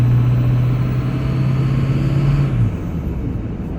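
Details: 2005 Ford F350 6.0 Powerstroke diesel: steady low whine over the drone sliding down as revs drop; cause unknown, louder after intercooler boots, fuel pressure regulator, glow plugs, harnesses and filters were replaced.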